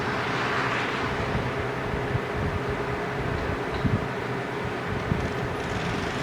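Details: Argo ATV engine running with decent power: deep, heavy knock repeating under the drone, earlier wrongly blamed on clutch springs; worn crankshaft main bearings, engine to be replaced.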